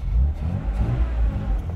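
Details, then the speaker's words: Austin Healey 3000 with SU carburetors after float work, top down so heavy wind noise: deep strong engine pull under heavy throttle on the road, healthy and clean; sinking floats had been causing problems before. "I have no idea if you can hear the top is down so the wind noise is probably going to be out of this world but the engine feels amazing those floats were definitely causing problems"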